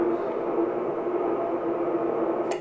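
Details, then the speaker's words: Yaesu FT-2312 1.2GHz transceiver transmitting, heard on a second receiver on the same frequency: steady hiss with a faint held tone that cuts off at release. Noisy transmit signal with VCO problems suspected. "that this noise can be heard very clearly, you can tell what is coming from this device. Also obviously the device has a problem"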